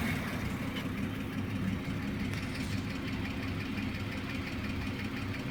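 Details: BMW E34 with M50B25 engine at idle: fast, light ticking from the top of the engine over a steady idle; hydraulic lifter tapping.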